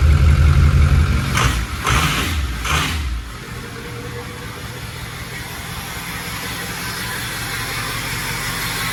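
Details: 6.0L Power Stroke turbodiesel swapped into a 1974 Ford Dentside crew cab on an 2006 F350 chassis, first start after priming the drained fuel system, no coolant yet, new battery: heavy rumble catching into steady even idle, no knocks; normal.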